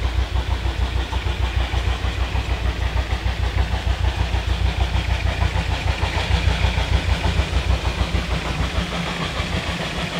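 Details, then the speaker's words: Puffing Billy Railway oil-fired steam locomotive in November 2020: deep, steady thumping about every two-thirds of a second as the burner takes in too much air. "the loud thumping noise you can hear is the is the burner in the getting too much air from the"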